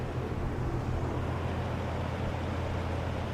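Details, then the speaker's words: 1963 GE F15W13 electrically reversible three-speed box fan, blowing toward the camera on medium after spinning up from low: steady, low, even hum with soft air rush, no ticks or rubbing; runs quiet and smooth at speed, normal. "These old fans really move the air, and they're quiet and they're smooth. And that sounds like it's running at speed on medium."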